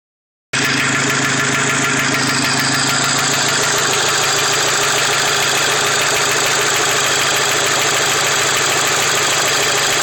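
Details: Mk5 Volkswagen GTI at idle: fast, fairly even ticking knock about three per second riding on the engine; engine knocking noise, source undetermined.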